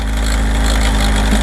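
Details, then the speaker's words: Kawasaki ZR7S four-cylinder, started on choke after sitting unused; busy mechanical clatter at idle, mid-cylinder, fading as revs rise and louder as revs drop; owner suspects cam chain, all four cylinders hot so not plugs. "アイドリングもね、あんまりしたくないんだけど、おそらくね、カムチェーンだと思うんだけど、回転が上がるとノイズが消えるんだけど、ヘッド周りまではね、行ってないと思うんだよね。"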